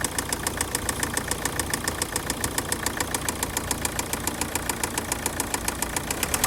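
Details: Opel 1.7 CDTI diesel (Z17DTL) at idle: sharp regular metallic ticking about three to four times a second over steady idle; engine knock, cause unknown.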